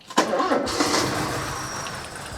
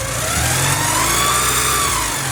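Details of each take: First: 1984 Porsche 944 during timing belt and water pump job: cranks and catches, then lumpy, off-balance idle under some clatter, sounding like a misfire; owner suspects the reference sensor or the other sensor, unconfirmed; rough running. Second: 1984 Porsche 944 after timing belt and water pump replacement, balance shaft belt loosened from slightly too tight (which caused a whine): even idle with a slight rev blip, no belt whine; normal idle.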